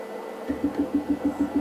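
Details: Wash 3 Ultra wash station after leak repair, mic held to the pump during a wash cycle: light even pulsing hum, about six pulses a second, no liquid moving; pump running dry, won't pull from full tanks.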